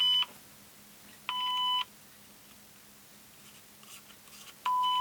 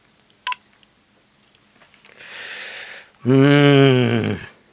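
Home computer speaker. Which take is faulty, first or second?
first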